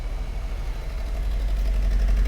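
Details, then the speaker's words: 2012 Fiat 500 at idle with codes for fuel injector 2 circuit open, P0202/P0302: rough, uneven shake from a dead misfire, suspected on cylinder number two. "and it's definitely misfiring sure you can hear that and i'm pretty sure it is also number two"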